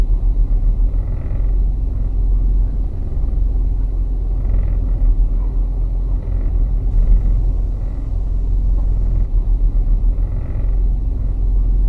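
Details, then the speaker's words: Car rear limited slip differential creeping at about 1 mph: a low rumble with repeated buzzing rattles and vibration during very slow left and right turns, as the clutch pack repeatedly locks and unlocks. "you could hear that vibration happening whenever i was making a very very slow turn to the right or to the left there"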